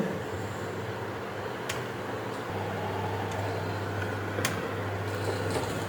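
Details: Electric room heater fan on 230 V AC, after repair of a unit that gave neither heat nor air: steady low hum with a soft airy whir and a couple of faint clicks, even and unwavering; fan runs normally.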